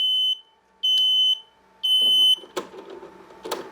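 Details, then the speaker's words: Mobility scooter that won't move despite a full charge, connector unplugged at the controller: evenly spaced high beeps, a controller flash code for a disconnected electric brake, as expected. "we know when i pull that one out it will give us the name flash code for the electric break i know that one"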